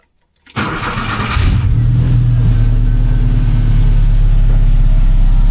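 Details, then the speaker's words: 1982 VW Westfalia after dashboard instrument panel rewire for bad connections and grounds: short crank, quick catch, steady even idle; oil pressure and alternator lights go out, voltage rises from 12.4 to 14.2. "Starts up really nice now."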